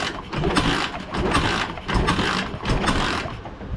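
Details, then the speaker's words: One of two pit bikes sitting unknown years (Baja Dirt Runner 50/90 or SSR 72cc), hand-kicked: repeated kick strokes about once a second churn the engine but it never fires; no spark, restored by disconnecting the faulty original kill switch. "all right check it out we got spark now all I did was disconnect the kill switch that's on the bike originally"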